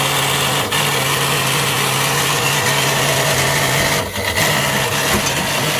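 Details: Sewing machine motor run on 400V: hard steady high-pitched scream over a constant low hum, racing far past normal speed from overvoltage; later suffered mechanical bearing failure.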